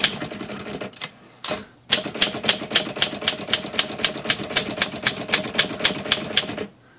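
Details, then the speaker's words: Olympia SM-3 manual typewriter after a clean, service and new rubber spacer fitted: crisp, even keystrokes about four a second with the carriage bell ringing and no rub or scrape; normal typing action. "So, let's see if we can hear it rub. No rubbing. Just some nice bell action."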